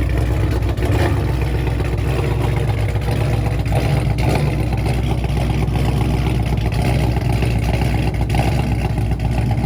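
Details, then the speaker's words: 426 Daytona V8 recorded after a rough-sounding start: heavy, uneven idle with busy ticking and knocking under the low rumble. Oil was low and black only 3,000 miles after a change; owner unsure whether it is rod knock. "but yeah it's got a little bit sound like a knock so i don't know to be continued"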